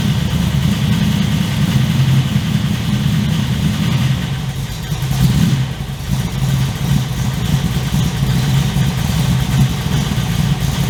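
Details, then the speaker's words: 355 stroker V8 in an HX One Tonner on its second start after 11–12 years in storage, recorded with a shotgun mic on a walk-around. A deep, lumpy idle with a strong low rumble and one brief blip, through a loud but not obnoxious exhaust; steady, healthy idle. "Okay, so really happy with how that runs and how it sounds. So I think the exhaust from Repco Engineering sounds amazing. I'm really happy with that sound."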